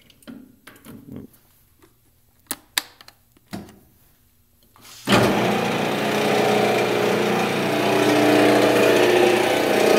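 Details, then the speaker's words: Grizzly G0709 lathe motor (a replacement motor, with noise returning as before the first replacement), speed set around 190 then 300: a steady drone with a rough rumble; quieter in reverse, louder at 300. "do definitely some rumble in the motor river doesn't seem to be quite as loud in reverse"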